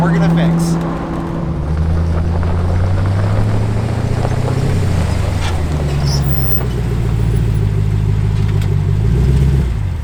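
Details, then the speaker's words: Atlas transfer case shift levers vibrating loudly when lifting off throttle after highway acceleration over 80–90 mph on a built Jeep; loud low buzzing drone at speed. "you let off the throttle and you find that your transfer case shifter levers vibrating really loudly there's a reason for it and we're going to show you how to mix"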